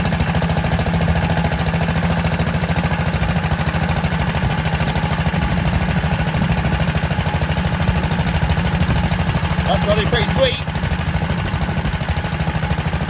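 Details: Kohler K91 single-cylinder petrol engine, first start in six years after freeing a stuck float and rigging a replacement for the rotten exhaust. Crisp, regular chuffing, evenly spaced with no misses or rattles; runs lovely.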